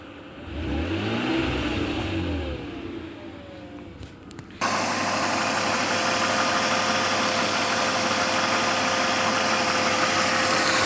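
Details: BMW 323i E36 engine at idle: thin high whine with a light, fairly even tick or knock around three per second; source unclear, owner asks what the whine and clatter are.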